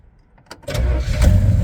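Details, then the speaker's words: 1967 Pontiac Tempest 2-door post with a V8 400, needs brakes: a few quick cranking clicks, then it catches straight away into an even, strong idle, a healthy start. "cranks right up. Little motor runs good in it."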